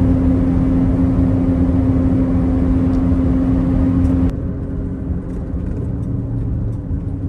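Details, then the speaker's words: 2007-2009 Honda CR-V at highway speed: steady droning wind-up hum like a plane over road noise, with grinding when spun fast; worn rear passenger-side wheel bearing, fixed by replacement. "GE it's like a wind up noise almost like a plane"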